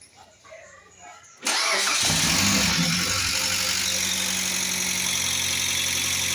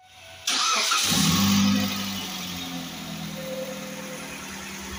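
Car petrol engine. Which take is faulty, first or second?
first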